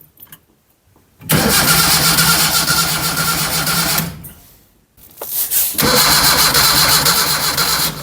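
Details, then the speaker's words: Barn-find Zastava 850 (Fiat 600 lookalike), long stored, starter temporarily fixed after stuck brushes: two bursts of steady cranking about two turns a second, never fires; cranks but no start, no spark found. "the starter is temporarily fixed let's see what's happening put a bit of fuel down in a CL no spark"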